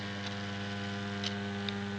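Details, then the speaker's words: Homemade moving planet clock for US mains, single motor driving ring and planets, transformer fitted: steady low electrical buzz of fixed pitch; builder suspects supply voltage causes the motor hum. "I know there's a lot of buzzing noise from the motor but I think it's something to do with the the voltage going into which is kind of causing that noise and I would like to try and reduce that if I can before I decide to send it off to you"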